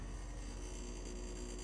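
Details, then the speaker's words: Old UPS running on battery during monthly testing, with new batteries and a light load keeping lights on: constant low mains-pitch hum with a gritty growl, steady level; noisy but working. "This thing, I'm telling you right now, this is a noisy UPS. Like, listen to it. It's got a growl to it. It's old. It works still."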